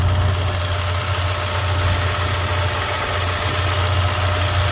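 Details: 2016 Ford Mustang EcoBoost direct-injected four-cylinder at idle after a shop said the motor was bad. Steady, even low rumble with no knocks or misses: the engine is idling normally.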